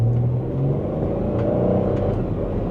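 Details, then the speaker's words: Free broken auction minivan on a road test: steady engine drone under acceleration with a smooth drop in note as the automatic upshifts cleanly; normal shifting, though a squeaky-bushing-like noise under acceleration was heard just before. "oh it shifts good yeah it shifts great this thing shifts like a dream man"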